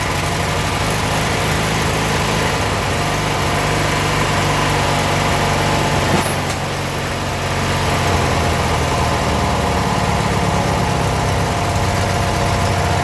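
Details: Abandoned 1996 Briggs 17hp I/C flathead opposed twin, running on its own for the first time in over ten years: steady low thrumming idle, no misses or knocks; normal idle.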